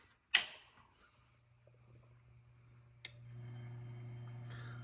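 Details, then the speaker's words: Drake L4B linear amplifier with ES4L-4B-v1.0 soft-start board on 110 V, tubes warming through a 12-ohm resistor: switch snap, then about three seconds later a firm relay click as the transformer hum steps up to full power; normal soft-start click-in. "once again off on so you can hear it click whoops and the light will the power light will go on brighter that's it that's how it's supposed to work"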